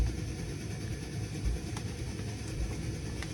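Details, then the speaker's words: Coleman Peak model 400 stove, just lit and warming up: a low rough roar that surges unevenly, about forty times a minute, instead of holding steady. The burner is chugging but stays lit. "It's going. It's chugging, but it's going."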